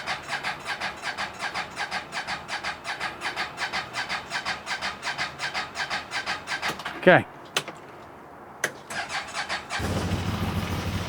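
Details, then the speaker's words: 2023 CFMOTO UForce 1000 XL with one mile, EFI, after fuel pump priming twice: cold start, starter churns steadily about seven seconds before it fires and runs; hard cold starting with check engine lights, cause not yet found. "we go shouldn't have to do that this thing should fire right up I'm gonna say we're not off to a good start with this thing"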